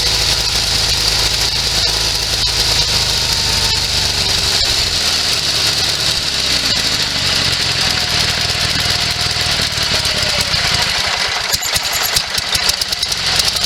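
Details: Sears SS16 garden tractor, Onan twin that sat several years, running from a small auxiliary gas tank; steady, fast-pulsing, raspy, even beat with no misses, running properly again.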